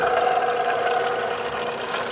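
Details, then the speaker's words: VW Gol 1.6 EA111 at idle: steady dry whirring hum from the back of the engine; water pump with broken bearing, to be removed along with the timing belt. "Tá vindo da parte de trás aqui do motor, ó. Muitos já vão saber logo de cara, né? Vou fazer o seguinte, vou desmontar aqui, tirar a correia dentada fora e tirar a bomba d'água ali, ó. 100% de certeza que é a bomba d'água que está com o rolamento quebrado."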